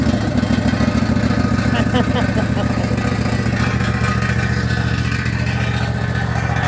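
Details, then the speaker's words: Husqvarna 254 zero-turn mower that sat a year, just fired up on a splash of gas with choke: steady low engine thrum with loose, uneven metallic chatter at idle; something loose rattling, suspected heat or muffler shield, apparently not mechanical failure. "Sounds like the heat shield is rattling. Something's rattling. But pretty bad rattle. I don't know what that rattle is. A muffler shield or something. Doesn't sound like a mechanical failure. Just sounds like something loose."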